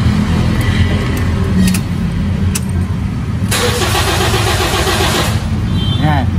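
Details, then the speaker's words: Toyota Vios Gen 3: starter spins engine briskly and evenly for a couple of seconds with strong battery, but it never fires; crank no start, fuel pump suspected, not confirmed. "so malakas ang cranking pero ayaw tumuloy isa sa mga possible diyan fuel"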